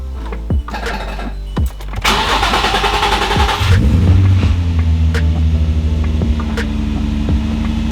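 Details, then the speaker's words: Nissan 350Z/G35 first start after installing an AEM 340LPH fuel pump and cleaning the float sensor: starter cranks a couple of seconds longer than expected, then catches and settles into a steady, even idle. "I ain't going to lie your boy got nervous a little bit cuz it was taking a little bit to crank"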